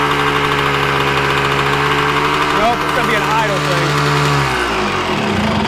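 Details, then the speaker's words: 1986 Yamaha Tri-Z YTZ250 two-stroke, warm. Fast steady idle that won't settle, sagging near the end. Owner suspects the mixture screw was set too far out, then plans to turn the idle down. High idle. "So, I probably had the mixer screw a little too far out. Now, it's warmed up. See, I'm not good at gas right now. You hear it kind of running high like that."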